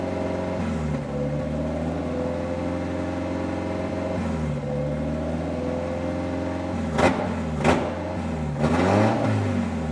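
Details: Engine first start on a new 3D-printed individual-throttle-body intake with no idle valve hooked up: idle wanders, sags and recovers, with a few sharp throttle blips; owner expected unstable idle from the missing idle valve.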